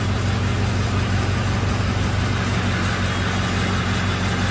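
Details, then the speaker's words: 2005 Ford F-350 6.0 diesel at idle with the cylinder 4 injector disabled during a contribution test: a lumpy, uneven beat dropping out once per cycle. Cylinder 4 is the worst, cylinder 7 was bad when cold, and injectors are suspected. "when i kill number four injector it sounds completely different"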